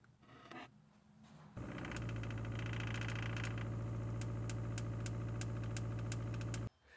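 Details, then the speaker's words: RV truck camper Shurflo water pump with IRVWPC2 controller, kitchen faucet restricted-flow test: steady low hum with fine even pulsing, starting and stopping cleanly; quieted from about 77 dB to 54 dB, running smooth. "This IRVWPC2, the intelligent RV water pump controller, actually did what it was supposed to. It quieted it down from about 77 dB to 54."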